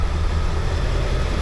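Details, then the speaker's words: Ford F250 7.3 Powerstroke diesel idling after weeks of crank-no-start fixed with two starters, solenoid and injector driver module, not yet at temperature; charging well, good oil pressure: deep even rumble, no knocks or misses; healthy. "We've got a truck that runs. It's took a couple of weeks, but it runs. That sounds wicked, to be fair. Absolutely wicked."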